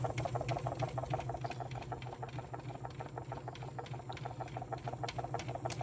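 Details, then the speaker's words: Fender Vibratone rotating speaker, fast speed selected, small motor stopped and big motor driving: fast regular rattling clicks about three a second over a steady motor hum; rotor rattle. "this will make it go fast when you press it so we'll hit that there it goes now you can really hear that rattling"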